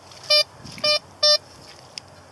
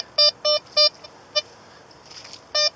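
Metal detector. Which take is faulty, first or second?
first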